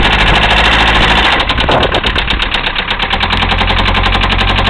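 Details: 1974 Mercedes diesel, started without working glow plugs, idling with a heavy, regular knock about three per second hammering through the clatter; a worn connecting-rod bearing (rod knock).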